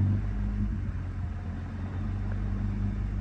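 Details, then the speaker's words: BMW 135i with 550i/335is clutch and lightweight flywheel, idle raised by foot to about 900 rpm: steady, smooth idle hum with the flywheel rattle mostly gone. A deeper knock returns when released to stock idle. "so we're at about 900. and as we can hear the noise is pretty much gone and if we let go of it it's more of a deeper knock basically"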